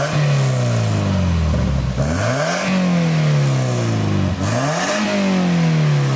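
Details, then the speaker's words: Toyota MR2 ZZW30 1ZZ four-cylinder, after a connecting rod bearing repair, with a new TIG-welded stainless exhaust and its silencer fitted: three clean, smooth rev sweeps with no knock or tapping, subtle sound, healthy engine. "Quand c'est avec le silencieux, on l'entend de manière subtile, quelque chose que j'aime quand je vais utiliser la voiture dans la rue"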